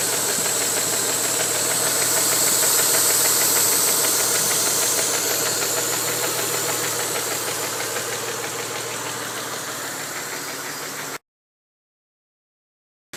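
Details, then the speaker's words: 1992 Mitsubishi 3000GT VR4 idling after 8-9 minutes of warm-up: steady sharp knock about three per second with black smoke from the tailpipe. Knock seems to come from cylinder 6 near the oil filler cap; timing belt slightly loose, bad sensor suspected. "The knocking sound seems to have accompanied the smoke in the back. Okay, wow. We developed a lot of smoke out the back when we started the knocking sound."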